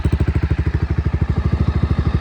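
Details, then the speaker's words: 2018 Honda CBR300R with 4,600 miles, long unstarted, after reconnecting the fuel tank and using a jump box and starting fluid (battery suspected bad): crisp, evenly spaced exhaust pulses at a steady idle, running cleanly. "Okay, guys. So, I did get it running. It is on."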